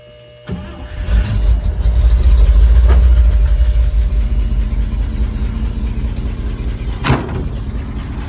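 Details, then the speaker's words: An International Loadstar 4x4 truck starts after the points were cleaned and the fuel supply restored: brief cranking, then it catches at once and settles into a steady, even idle. "Just lights right off."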